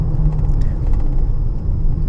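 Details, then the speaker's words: 2015 Honda Pilot, 64,000 miles, test drive at 25-40 mph on a 102°F day: road rumble with a thin steady airplane-like whine, louder when steering left, quieter right; worn wheel bearing suspected rather than AWD transfer unit. "So 25, 30, 40, you can hear the whining sound like airplane. If I pull to the left, a little bit more noise than the"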